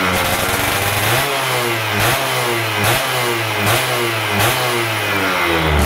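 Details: Stock Yamaha F1ZR 110 two-stroke during wet carburetor tuning, air screw about 2.5 turns out: crisp blips, with revs climbing and dropping cleanly about once a second, no stumble or bog; a responsive, healthy setting.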